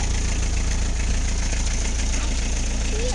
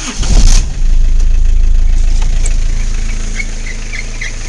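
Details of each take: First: Isuzu I-Mark idling after the squealing fan belt was replaced with a new one: steady, even low idle with no belt squeal or chirp, running smoothly. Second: Isuzu I-Mark cranks and starts, then a thin, high chirping squeal rides over the idle from the slipping fan belt, which is to be replaced with a new belt.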